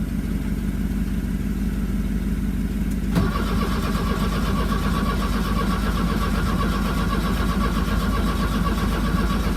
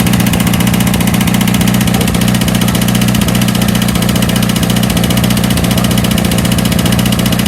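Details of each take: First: 1982 VW Vanagon Westfalia diesel with new battery, glow plugs and starter, on jumper cables on a chilly day: steady cranking about three turns a second that never catches; then the engine-to-frame ground was cleaned, poor ground blamed. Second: 1982 VW Vanagon Westfalia diesel just started after new battery, glow plugs and starter, on a chilly day: steady, even diesel clatter at about 220 beats a minute with no misses or knocks; normal idle.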